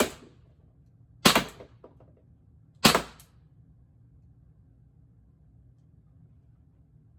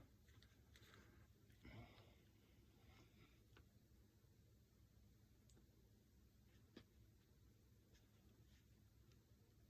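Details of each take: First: Less-lethal mag-fed air launcher firing shaped ammo, test after about a one-and-a-half-turn adjustment meant to stop jams: two sharp, clean cracks about 1.5 s apart, cycling and feeding normally. Normal firing. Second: Mag-fed less-lethal marker firing custom HP68 shaped ammo: quiet room, then sharp dry trigger clicks with no shot, a misfeed jam.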